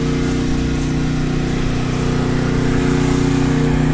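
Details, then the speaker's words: Backup generator powering a house during a Hurricane Ida outage, with a hot water heater load suspected: steady, even drone with a smooth low hum, no hunting or surging; running normally. "my theory about what's putting the load on it actually sounds like it's running pretty well now"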